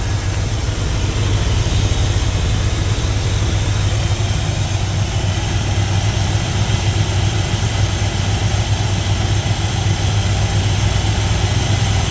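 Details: 1977 GMC Sierra Grande, small-block Chevy 350 V8, after valve and roller rocker adjustment: deep, even rumble at steady idle with no ticks or misses. Idle is normal and the valvetrain sounds quiet; slight dieseling at shutoff is suspected from carbon or carburetor adjustment.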